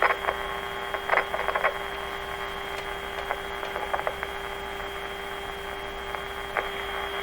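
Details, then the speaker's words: 1925 Magnavox Type D TRF radio fed by a signal generator at 590 while testing the grid leak resistor: steady mid-pitched test tone broken by irregular pops and crackles from loose floppy wires and a poor connector. "What happened there? Just loose floppy wires."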